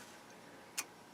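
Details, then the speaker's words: Bryston 0.5B preamplifier paired with 3B power amplifier, switched on from zero draw: one short crisp relay click over near silence, settling around 10 watts; normal power-on relay click. "A little relay click. And it's going to settle down around 10 watts."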